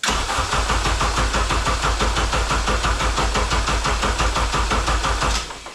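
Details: K24A2 engine with 6-speed manual swapped into a 1987 Acura Integra, first start attempt after wiring harness, fuse box and ECM hookup: steady starter cranking at about three beats a second that never fires; cranks but won't start.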